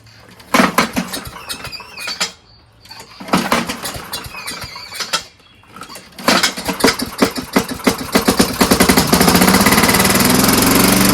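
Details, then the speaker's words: Small single-cylinder engine on a free Craftsman machine catches after a few pulls, stumbles, then settles into a steady fast patter that builds; engine works. "Cool. Well, I guess we answered that question, huh? Works."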